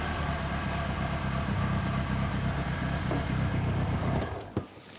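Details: Reliant Fox small petrol engine after exhaust repair, air filter refitted: runs smooth and even at a steady speed, then shuts off cleanly; normal running, sounds healthy.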